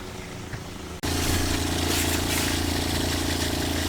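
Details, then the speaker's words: RV fresh-water pump after check valve replacement: pump kicks on to a steady low hum, pulsing about four times a second, and keeps running without building pressure; owner suspects it is filling the hot water tank, no leaks seen. "like I probably need to fill up my hot water tank, or sounds like it's trying to fill up the hot water tank."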